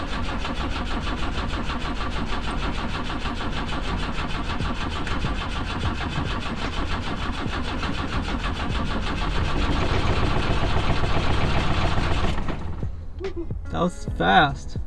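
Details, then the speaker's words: BMW 2002 cranking after a carb swap and distributor work: even starter cranking for about twelve seconds with no firing. The owner suspects no spark because the distributor uses the old points system they removed; coil possibly not plugged in. "i don't think it's getting a spark though because that one's using the old system with the points which we got rid of"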